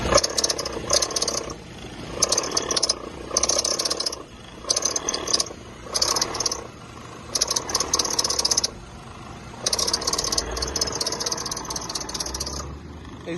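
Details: Nissan Versa 2010–2011 idling after starting: intermittent harsh, raspy grinding-whir from the engine bay in roughly one-second bursts, then fading; cause suspected, not confirmed.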